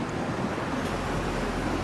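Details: Electric fan that would not spin, after its motor bushing (fan boot) was replaced, runs with a steady, even rush of air over a smooth low hum, no rubbing, ticking or wobble; normal running.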